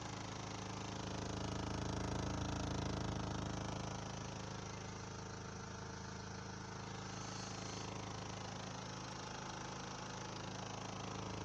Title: Vibration tableau de bord Renault Laguna 3 Coupé 2. DCI 😉